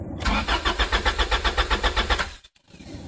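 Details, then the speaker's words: Hot 1993 Honda Prelude cranks evenly at about four compressions a second with no firing. It starts when cool at night, but when hot the fuel pump doesn't prime; the owner suspects a failing main relay. "I've also noticed when you start it at night you can hear the fuel pump running and when uh you start it during the day you can hear the fuel pump not run you can hear it actually not prime so I believe it's a main relay problem"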